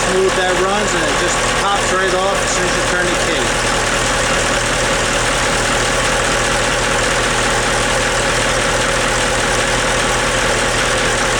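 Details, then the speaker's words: Portofino Cat marine diesel, starboard engine with new starter solenoid, freshwater closed cooling, reconditioned props; steady, even idle with low smooth drone, no misses or knocks, running smooth and healthy. "so uh okay let's start this puppy up you hear how smooth"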